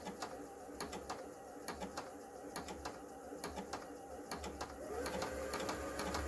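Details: Kenmore 385-19550 sewing machine after repair of twisted part leaning on the shaft, speed adjustment screw set at center: light even ticking about three per second, no rubbing or knocking; running normally.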